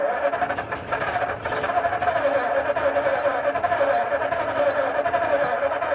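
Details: 1952 Ford F-1, first start in 28 years, rebuilt carb, PerTronix ignition, timing adjusted: long steady cranking with a few near-catches that never pick up; too much choke, needed more air, then it started.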